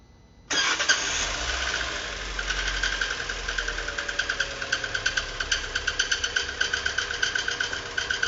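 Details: Fiat Uno 2018 Evo engine started and idling: sharp regular ticking knock about four per second builds over running engine, abnormal noise prompting engine teardown; source unclear.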